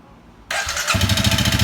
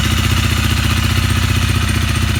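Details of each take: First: Honda CRF250L, 3851 km, whose engine noise grew louder from new and which recently began stalling; abnormal combustion from old gasoline is suspected. A hollow, rapid knock rides each firing pulse at idle. Piston slap from a broken piston ring with a scored cylinder; piston, rings and cylinder are to be replaced. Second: Honda CRF250L, 3851 km, after the piston, rings and cylinder were replaced because of a broken piston ring. Even, regular single-cylinder idle pulses with no knock or ticking. It idles healthy after the repair.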